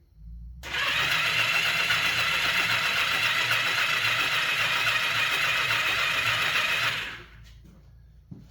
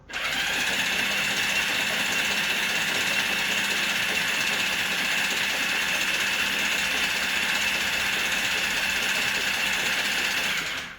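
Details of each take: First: 1982 Kawasaki KZ750, sat in a barn for years, plug boots off checking for spark: starter whirs steadily about six seconds with no firing; no spark seen, owner suspects the kill (start-stop) switch may interfere. Cranking, no start. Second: 1982 Kawasaki KZ750, sat in a barn for years, exhaust off and penetrating oil sprayed into cylinders: even starter whir turns the motor over smoothly with no catching, stuck pistons and rings now crank freely.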